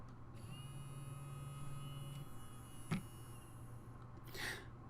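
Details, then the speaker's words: Small DC motor on Arduino pin 9 via transistor with flyback diode, switched on 3 seconds, off 3 seconds: faint low hum cutting in and out over a quiet room; normal on-off cycling. "So the motor is turning on and off for 3 seconds at a time."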